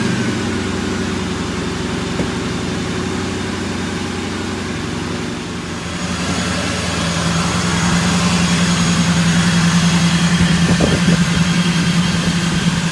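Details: Procharger-supercharged Hemi V8 Charger, the day after a newly installed Procharger: steady, deep idle with an even lumpy beat and a faint supercharger whine rising over it; sounds healthy and smooth.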